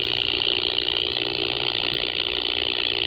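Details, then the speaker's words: Power pole below high-voltage lines near a ham station. Harsh, raspy buzz pulsing about four times a second, spiking along with the radio interference. Suspected, not confirmed, power line interference buzz. "And when the noise spikes on the RF side, I can hear an audible buzz coming from up there."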